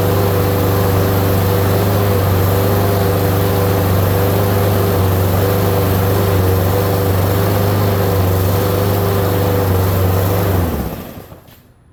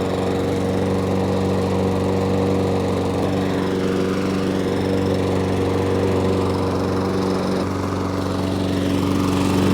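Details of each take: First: Lawn mower with new Amazon replacement carburetor on first start: steady single-cylinder drone slow to pick up rpm, about 20 seconds, as if starved of fuel, then cuts out; lean running from wrong-size carburettor jet. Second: Lawn mower with an Amazon replacement carburetor fitted with Briggs carburetor parts: a steady, even single-cylinder hum at one speed with no surging or hunting. Normal running after the fix.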